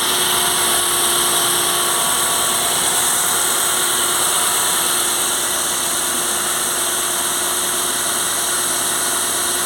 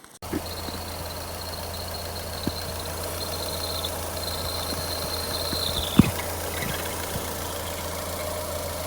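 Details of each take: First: Ford Fiesta after repair, belt already replaced and water pump found to be the cause of the squeal: engine idles smoothly with an even whir and hiss, no squeal from the accessory drive. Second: A thin, steady high-pitched squeal rides over a Ford Fiesta's idle hum; the noise came when accelerating. It was not the alternator belt or the steering, but a worn water pump, which was replaced.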